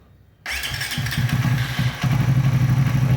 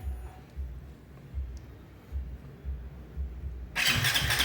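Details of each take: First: Motorcycle started during an ignition coil and AFR test, Yamaha Xmax 250 versus Suzuki V-Strom 250 coil, here V-Strom coil with boosted supply: quick catch, then firm even low putter settling to steady idle. Normal start. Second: Suzuki V-Strom 250 ignition coil on a coil tester at 0.7 gap, standard 12 V path without boost: three long bursts barely catching and dying between tries; spark small though blue, weak spark giving hard starting.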